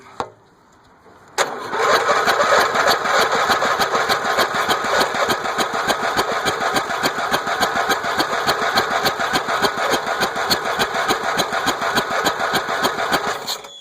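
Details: Small gravity-fed carbureted engine after being flooded with mossy water, starter brushes cleaned, first start attempt with a little gas and clutch down: fast steady chug, about three turns a second, for twelve seconds with no firing; won't start.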